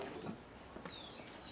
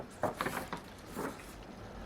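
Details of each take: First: Car wiper running while parked with a few water drops on the glass. Quiet sweeps with thin, rising and falling squeaks as the glass dries: blade chatter. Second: Windshield wiper on wet glass after straightening the blade's rubber holder so the blade sits aligned: soft, even swishes about every second with no chatter or judder, a clean normal sweep.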